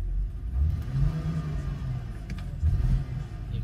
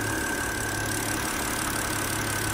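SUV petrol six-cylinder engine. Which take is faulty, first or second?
first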